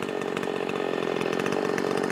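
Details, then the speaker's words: Makita 5600 chainsaw with freshly sharpened chain, in the cut: steady high buzz under load without bogging, chain biting smoothly and evenly; cutting much nicer than the dull chain. "most definitely cutting a lot nicer now"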